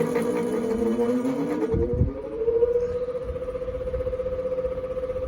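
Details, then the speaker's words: Westinghouse 6-blade fan on medium with worn sleeve bearing despite added grease; steady hum with rough rubbing buzz and slight wavering as the rotor rubs the stator; bearing needs replacement. "but it's so worn is rubbing really badly which sucks but here it is on it's really bad"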